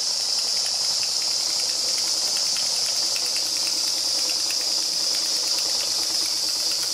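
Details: Märklin 4106 live steam engine with 6.5-inch boiler, after rebuild (new sightglass, repainted base), fired by homemade burner on about 90% grain alcohol, 10% water: steady soft steam hiss with light quick ticking, even and unlabored; normal running, a good runner.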